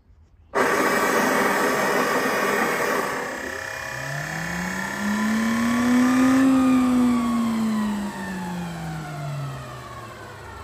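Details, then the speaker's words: T-72 tank, starter test after repairing its electrical engine oil pressure priming pump: the start button runs the priming pump first, then the starter engages. Clean whine climbs smoothly, holds, and winds down evenly with no grinding or rattle; the starter spins freely and is healthy. "so here we are electric start button so that should hit the oil pump first which we'll see some pressure arrive then engage the [Music] starter sounds like it's working"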